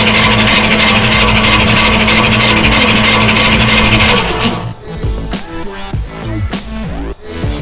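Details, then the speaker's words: Cheyenne Ski Racer boat engine, starter jumped on battery power with only the main cables connected: even crank about three beats a second, free and unstrained; the high-torque Summit Racing starter stays cold. "so we can now crank it over on battery power and let us spin around a few times oh yeah"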